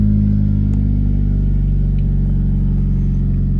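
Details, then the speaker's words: Nissan Juke converted from MAF to speed density, first start without tuning changes: engine catches at once and settles into a smooth even low idle, no misses; idles perfectly though check engine light on. "it's actually idling perfect"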